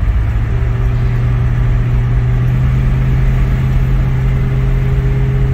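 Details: Ford Mustang (1966/67) 289 V8 automatic with two-barrel carburetor, known kickdown issue, road test under full throttle from about 40 mph: deep steady drone, constant low hum, no stumble or miss, pulls cleanly; normal acceleration.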